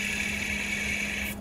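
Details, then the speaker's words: Honda K20A engine out of the car for an MR2 swap, belt removed: the tensioner pulley spun by hand gives a dry, gritty whir with a hissy edge and stops after about a second. Its bearing is worn, the idler is worse, and both need replacing. "now let's see the idler that's even worse all right so these two need to be replaced because just me spinning it right here already loud imagine it with them running"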